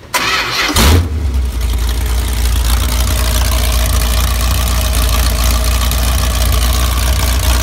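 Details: V8 on a converted engine run stand for breaking in a new cam and lifters with stock valve train: starter whirr, then it catches and settles into a steady, deep idle with no knocks or misses; healthy engine.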